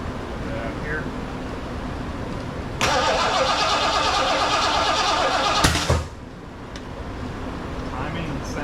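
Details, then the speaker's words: Rebuilt 460 V8 in a 1975 Lincoln Continental, first start attempt with break-in oil: about three seconds of fast, even cranking with a sharp pop back through the carburetor; timing checked with light, ignition found 180 degrees out. "but when we were cranking it over uh it was popping back through the carburetor I had already checked the timing with the light and so we knew it was not just slightly off"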